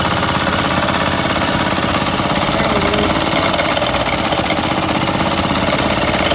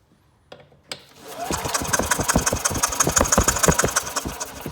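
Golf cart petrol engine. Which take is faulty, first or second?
second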